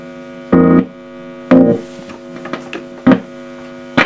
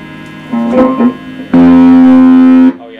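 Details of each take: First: Fender Blues Junior amplifier after repairing very distorted output and re-biasing the output valves to about 35–36 mA: clean, full bass notes with no fuzz or breakup, faint steady hum; normal output. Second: Fender Blues Junior valve guitar amp with newly fitted valves and the speaker ruled out: guitar notes come out harsh and fuzzy, with the bass badly broken up.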